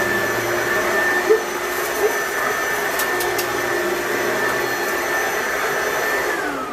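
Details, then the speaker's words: Riccar/Simplicity Supralight commercial upright vacuum on setting 2, the carpet setting with bristles active: steady, high-pitched motor whine with brushroll hum and no rattles or surging; this is the normal sound. "So you can refer to these sounds in the future if you're wondering if your vacuum sounds weird."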